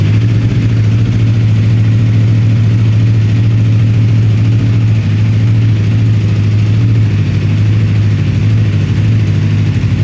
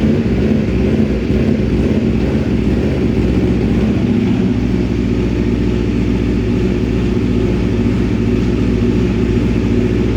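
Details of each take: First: 2026 Aprilia RSV4 with Akrapovic muffler, on dyno: deep, even idle rumble holding a steady beat with no rise and fall; stable idle, unlike the short SC Project muffler which causes idle hunting. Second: 2026 Aprilia RSV4 with the short SC Project muffler swapped onto the Akrapovic system: loud lumpy idle that keeps surging and sagging without stalling. The too-open short muffler is causing the idle hunting; the Akrapovic muffler does not do this.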